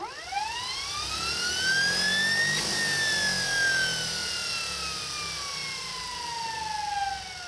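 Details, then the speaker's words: Small Kaylor adaptor/motor for a VW on a modified Kelly SepEx controller, run up fast then left to slow on its own without regen: whine climbs, then falls slowly and smoothly over several seconds; normal free coast-down. "that's just letting it slow down on its own"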